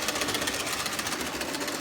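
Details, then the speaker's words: Model locomotive (Triang/Hornby Dublo era) running on layout: fast busy mechanical chatter with a repeating clunky pulse; suspected flat spot on a wheel/tyre, not confirmed; clunking while running. "You can hear that clunking. Something's going on"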